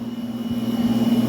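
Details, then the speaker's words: Electromax 9000 BTU air conditioner after repairing power wiring and a burnt ceramic capacitor: steady low hum with a faint even pulse from the outdoor compressor, no rattles or buzzing; running normally, displaying 26°. "so guys you can see now the unit is running after I fixed up all the wires it's running it's displaying some 26° if you listen carefully you can hear the compressor running outside"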